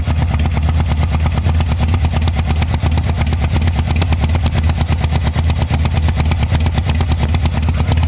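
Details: 1985 Harley-Davidson Sportster at idle: uneven loping beat, about three pulses a second, with a missing, stumbling thump as the rear cylinder misfires.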